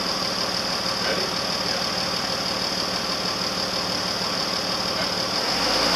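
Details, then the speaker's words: 1999 Jeep Cherokee XJ 4.0 after engine and transmission swap, first start after removing a screwdriver stuck in the oil pan, timing thought to be good: steady even idle with firm clattery, diesel-like beat, no misses or knocks; healthy. "Dude! That's pretty good. That's awesome. Yes! Yeah, dude, it sounds so good."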